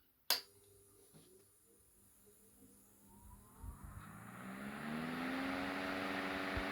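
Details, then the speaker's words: Antique Marelli "Bisa" 12-inch table fan run at 120 volts through a variable-frequency power unit that leaves a slight chirp; quiet at first, then a whine climbs steadily in pitch as the motor spins up. Clean, normal startup. "got a very cool startup sound and lots of power"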